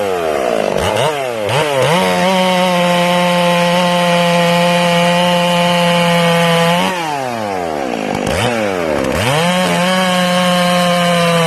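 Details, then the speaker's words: Ported Stihl MS461 chainsaw, new and not broken in, high-speed jet turned back from over-rich: winds up to a steady high scream that holds clean and even in the cut with no burbling; clean-running wide-open throttle, mixture properly set. "There you go. Did you hear that? Now I'm going to turn it back and you'll hear it clean up."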